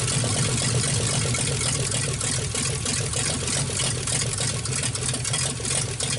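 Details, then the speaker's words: 1948 Nash engine, bored 60 over, first start after head work. Ragged, uneven firing at about three beats a second over a hissy background, rich and loading up. Owner says it floods out; a carburetor kit is planned. "okay definitely Ron's runs pretty good at flooding out so we're gonna get a kit in the carburetor try to figure out"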